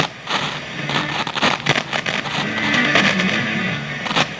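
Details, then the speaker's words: 1971 JCPenney model 1758 solid-state stereo, stored decades in an attic: crackling, scratchy static bursts as the volume knob is turned over background hiss; dirty volume potentiometer. "so you bet we got lots of static on the control"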